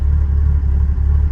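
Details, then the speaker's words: Carbureted engine cold start at -12°: heavy, lumpy rumble wavering unevenly, struggling to hold idle; choke suspected to need adjustment. Cause not confirmed. "She won't idle though. She doesn't like to idle when it's cold. Choke probably needs some more adjustment."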